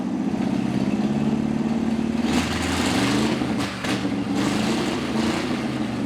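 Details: 1955 Chevy V8 stored 20 years, started with a 12.3 V battery after the front accessory kit and alternator were fitted. It rumbles steadily with a smooth, even beat and slight rev changes, running cleanly with the alternator appearing to work.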